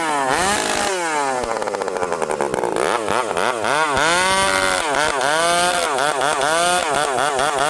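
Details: Stihl 064 two-stroke chainsaw revs and drops back with a warbling, hunting pitch and a slow return to idle; unstable idle, seems lean yet sometimes stalls as if too rich; cause unconfirmed.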